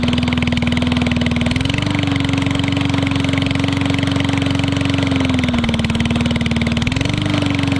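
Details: Yard Machines 22-inch push mower with Briggs & Stratton engine, after missing spark plug fitted, old gas drained and mouse nest cleaned: raw, loud, rapid bark at steady speed, dipping and recovering slightly; runs fine but the muffler is missing.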